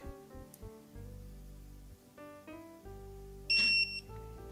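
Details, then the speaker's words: During a Ford 5.4L 3-valve engine swap on a 2010 F-150, a borrowed torque wrench sounds a short steady high beep on a front pulley bolt, reaching target early because it was left at nine instead of 18 ft-lb. "of course that's nine I forgot to set it whatever guess I thought that this thing was just going to magically know what torque setting I [Music] needed"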